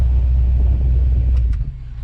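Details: Camaro dash AC blower fan, AC still ice cold: heavy low droning hum, fan unbalanced by leaves; no cabin air filter found.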